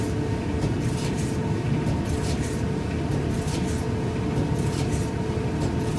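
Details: Used Whirlpool 29-inch gas dryer running: heavy, steady rumble with about one clunk per drum rotation, caused by a warped drum deviating from the back panel; noise carries into other rooms.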